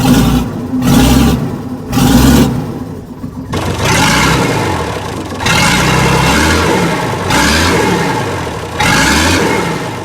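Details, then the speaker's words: Weatherill loading shovel diesel six, started after 18 years standing: blipped up and down, picking up cleanly each time over raspy exhaust from a broken muffler; stuck valve freed up, now running on all six cylinders. "however on the upside she's running on all six so I think that valve has freed up so yeah how about that sounds really good"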